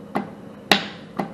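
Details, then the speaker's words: 24-volt low-voltage coil on an HVAC practice wiring board's fan relay, energized by switching the thermostat fan from auto to on: three crisp, dry clicks about half a second apart as the relay pulls in and releases normally. "if i turn the fan from auto to on 24 volts is going to come out of this and energize the low voltage coil on that relay and you can hear it clicking on and off energizing those switches or energizing and closing those switches"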